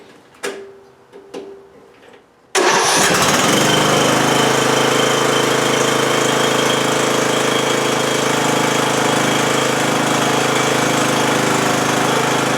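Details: 20-year-old Bolens lawn tractor with a Briggs & Stratton Intek 15.5 hp engine, choke on, after corroded connections were cleaned and a new starter solenoid fitted: a couple of clicks, then it fires at once and runs steadily. Normal start and idle.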